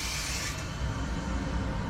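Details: Gas water heater after replacing leaking temperature-and-pressure relief valve on a full tank, control switched back from pilot to B: click of lighting then soft steady rushing roar, no popping or rumble; burner running cleanly.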